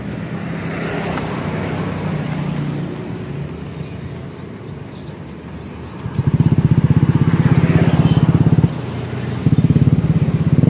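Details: Honda Scoopy with a CMS exhaust rebuilt and repacked to change the tinny note to a mellow deep one. After refitting, a quiet putter becomes a deep, even, throaty pulse as the throttle opens, then settles back. The exhaust sounds healthy and mellow.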